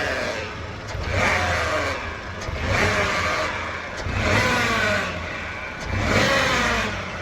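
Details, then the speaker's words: Newer Chevrolet Onix three-cylinder engine revved repeatedly: rising whine with engine speed, fading between revs. Oil pump noise because a dented sump, hit on the ground, restricts the oil pickup passage. "Mas a partir do momento que a gente acelera o carro, que ele dá uma alta rotação na bomba de óleo, que ela puxa esse óleo com mais pressão, ele ele faz o barulho por conta dessa dessa passagem mínima de óleo que acontece aqui dentro do carro, entendeu?"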